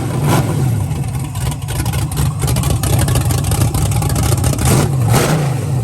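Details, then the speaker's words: Freshly built V8 with Holley manifold and harness, first start-up with the starter hot-wired from a battery, break-in with thick oil and about 45 psi oil pressure: a deep, lumpy, loping idle with no ticking or knocking. It sounds healthy. "There's no ticking noises or anything. So as you can hear in the video, the car sounds amazing, healthy."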